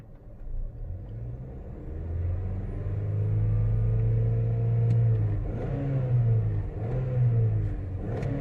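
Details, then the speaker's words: 2011 Chevy HHR 2.2L LE8 with P0010/P0011 intake cam actuator codes: engine revved up and settles smoothly, pitch rising and falling evenly, no stumble or rattle, while watching cam variances; intake cam tracking desired, sounds healthy. "okay so let me bring up the rpm and let's watch our variances"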